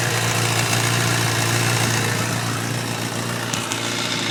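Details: 2011 Kawasaki ZX10 motorcycle, 4000 km, busy metallic rattle over the engine hum at idle and 4000-4500 rpm; dealer mechanics called it normal, but replacing the cam chain tensioner cured it.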